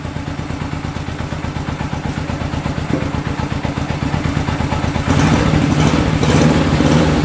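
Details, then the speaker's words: 1965 Honda CB77 Super Hawk 305 twin, sat 20 years, running after carb cleaning, fresh fuel and a battery, without air filters. Steady, even beat at a fast idle that picks up cleanly in the last couple of seconds; runs fine. "all I had to do is clean out the carbs put some fresh fuel in it fired right up that is awesome"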